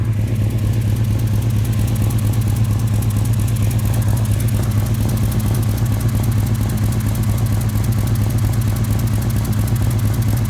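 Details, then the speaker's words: 1989 Chevy C1500 V8 with headers, cats deleted, Flowmaster 40s, at idle: fast light puffing tick about two per second over rumble; both header collector flanges leaking, right side worse. "in fact there's more coming coming over here on the right collector both collectors are leaking but the ride is"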